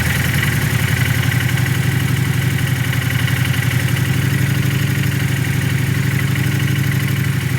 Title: Knocking sound fresh build